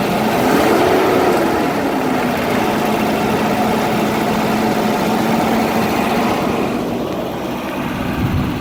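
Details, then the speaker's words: Volvo 240 cold start after 15 years sitting in a field, bad pink-label ECU swapped for used white-label ECU, foot slightly on gas: fired after intense cranking, steady even note with early slight throttle blip, no misses or knocks; smooth idle. "Well, guys, here she goes, running like a champ. I got my foot on the gas pedal a little bit there, but put the new ECU in with the white label, not the pink label, and she fired right up after some intense cranking. She sounds like she's purring."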